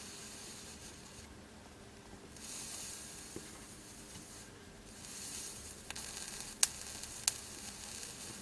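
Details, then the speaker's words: Amiga 600 board during capacitor replacement: soft hiss and sizzle with sharp crackles as the soldering iron touches chip pins. Suspected electrolyte from capacitor leakage under the ICs, unconfirmed. "Can you hear that sizzle? Now I was watching one of Gadget's boards videos when he was working on an Amiga 4000 board recently that had quite bad capacitor damage and battery damage, and he was getting a hiss like that when he had electrolyte and things underneath ICs."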